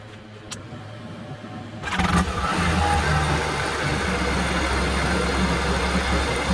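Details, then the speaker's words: 2011 Yamaha AR210 boat, used low-hour, good-compression MR1 jetski engine just installed in place of the original, started on flush hose; quiet, then catches after a short crank and settles into a steady even run, no knocks or misses; starts fine. "See, it turns on. I'm gonna turn it on with some salt off."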